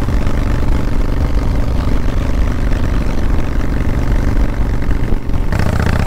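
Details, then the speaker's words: 1997 Harley-Davidson Fatboy Evo V-twin with new Dyna 2000i ignition, riding at light throttle: uneven lope with sharp spits and pops back through the carb; intake manifold leak left unrepaired. "see here it's still spitting and popping back through the carb there at light throttle"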